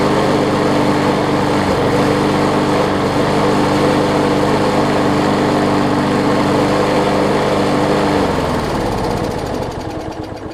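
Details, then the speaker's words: Older MTD 21-inch push mower, 3.5 hp Briggs & Stratton, after carb work and hammering the bent crankshaft's high spot straight: steady, even engine note with no shake or knock, winding down smoothly; runs normally. "You can feel it vibrating just a little bit, but man, is it smooth at the top where the handle is, where you're gripping onto it."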